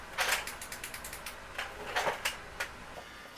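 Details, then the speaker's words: Sharp Aquos LC-52D64U TV, dead, power supply board after dust cleaned out with compressed air: quick dry ticks, regular then sparser, no hum, board not starting; capacitors look fine, internal windings suspected faulty, board to be replaced. "On dirait que c'est les enroulements à l'interne ici qui font défaut."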